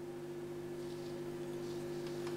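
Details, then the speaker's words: Ungrounded BSR record changer with ceramic cartridge feeding a homemade impedance matching circuit into an amplifier turned up: steady low mains hum; grounding the changer to the circuit's ground made the hum vanish. "Well, it's not grounded at the moment, so I'm just gonna... underneath there. If I turn this amplifier up, might be able to hear the hum"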